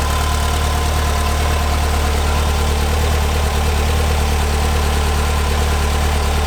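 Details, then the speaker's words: Brand-new engine just installed in a 1970 VW Bus, first start: deep, even idle with a steady low rumble and no knocks or misses while spilled oil burns off the exhaust; healthy running. "it sounds so good we did it you can hardly hear me probably it's loud listen to this"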